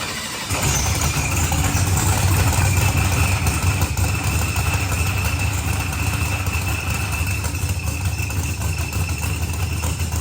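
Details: Procharged billet-block LSX Corvette on the dyno: loud, even V8 roar holding steady through a full-throttle pull, revs climbing quickly, no stumble, pop or knock; normal clean pull.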